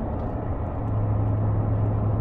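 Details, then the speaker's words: BMW E31 V8 cruising in fifth gear with a slight touch of throttle: steady low V8 exhaust drone with no rumble or boom underneath, sounding as it always has; normal cruise. "and so i did the same cruising slight touch of the throttle no that's perfectly normal absolutely normal just a sort of increase of the v8 verbal we can hear through the exhaust and throughout the rest of the car"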